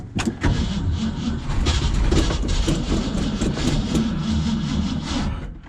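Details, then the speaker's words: 1965 Mustang stored four months over winter, gasoline squirted into the carburetor: starter churns the engine steadily, about three beats a second, but it never fires or catches; cranks without starting. "it's not gonna happen for me what a waste of time waste of video time"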